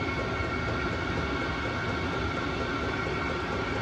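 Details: Vevor Chinese diesel heater after cleaning, primed, running on old diesel: constant even burner roar with faint fan hum, no surging or popping; burning cleanly after cleaning.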